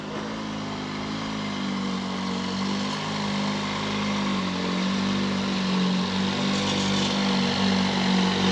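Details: 1911 Scott two-stroke motorcycle, first start after mechanical restoration, with cleaned carburettor air holes and an AMAC carb: steady even beat at about four firings a second, revs slowly building with no misses or stumbles.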